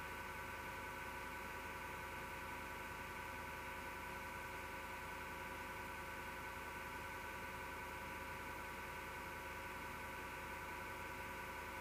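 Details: Desktop PC, MSGW Plutos power supply fan: quiet steady whirr with a rough grinding edge; owner suspects a bad, vibrating bearing; noise returned after two months and disappears after the PC is off overnight.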